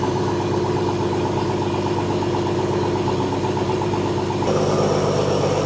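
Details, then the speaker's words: 1971 AMC Gremlin six, sitting since about 1984, first start: uneven loping idle with a stumble every second or so. Owner suspects a blown head gasket or the old plugs, wires, cap and rotor; it is steaming. Not confirmed. "Got a miss when I first crank it. I wonder if it's a blown head gasket or something. But then again, old plugs, old wires, old cap, old rotor, old everything."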